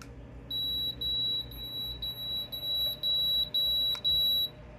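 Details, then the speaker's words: Desktop PSU under a year old on a tester with 24-pin, CPU, PCIe and molex connected: loud shrill beeping alarm about two per second, code LL, 12 V rail reading under 12 volts; defective power supply. "Okay, I stopped it. That alarm clearly indicates that your power supply is defective."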